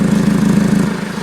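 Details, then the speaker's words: 2015 Ford Focus started up and idling, heard from underneath: rapid puffing chuff on a steady idle, coming and going in strength; exhaust leak at a flex pipe that was probably welded before, which needs replacing. "So this thing also has an exhaust leak. So I'm going to put it down, I'm going to start it up, and we're going to go underneath here and have a look."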